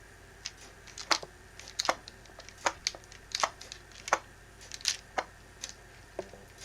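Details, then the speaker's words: Nikon Zf camera body, nearly new with 490 shutter actuations, fitted with a Tamron lens: light irregular clicks and clunks about every half second as the body is moved; the unlocked in-body stabilised sensor shifting freely, which is normal. "The sensor moves within the camera and it's meant to."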